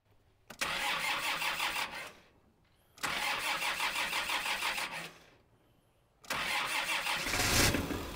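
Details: Kubota M5700 tractor, 5-cylinder diesel about 60 hp, after fuel lift pump and fuel filter replacement, tank obstruction removed and lines blown out: three short runs of even clatter pulling strongly with no stumble up a steep driveway; stalling fixed.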